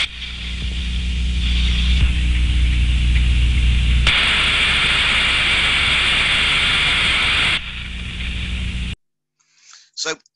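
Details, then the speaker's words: Ultrasound recording of a steam trap: a steady hiss swells into a loud rush for a few seconds, then drops back as the trap opens and closes, turbulence rising then falling; normal cycling, a good trap. "from that sound recording you can hear the opening and closing of the Trap the turbulence increasing and then decreasing so that is what we want to see so that tells me it is a good trap"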